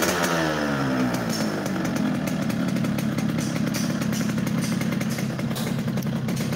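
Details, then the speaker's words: Yamaha RX King two-stroke motorcycle, revved stationary without riding: flat raspy note that struggles to climb and sags back, clearly down on power; cause not yet found. "Udah kelihatan kalau ini mesin tidak power, dari suara udah kelihatan. Ini motor nggak lari ya bos, tenaganya ngempet. Dari suara mesin kedengeran banget."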